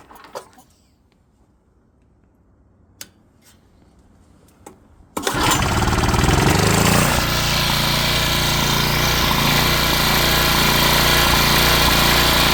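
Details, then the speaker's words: Coleman Powermate PM 1500 generator, first repair, primed with starting fluid: after a few quiet clicks the small engine fires and holds a steady, even buzzing run with no hunting or misfire; normal running. "it runs great now so yeah I guess I can try and plug something into it here in a second and see if it produces power"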